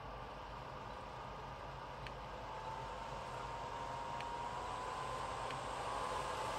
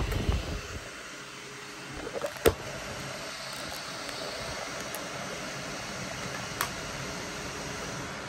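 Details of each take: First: Dyson Pure Cool Me BP01 fan/purifier running: a thin whistle over the fan rush that gets louder at higher speeds, caused by a dirty seal between filter and case; fixed by cleaning and reseating the gasket. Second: Dyson Pure Cool Me BP01 fan after cleaning and reseating the dirty filter gasket that caused whistling: soft, even airflow hiss with light clicks and no whistle or buzz; running fine.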